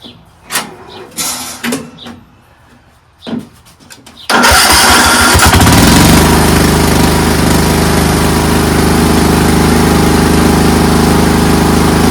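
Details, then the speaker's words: Craftsman 13.5HP 30-inch riding mower started with a jumper pack: a few clicks, then it catches instantly and settles into a steady, even, fast run; a dead battery was apparently the only fault. "fires ridiculous it's ridicul ridiculous completely ridiculous apparently the only thing wrong with this thing is that the battery was dead so super easy fix"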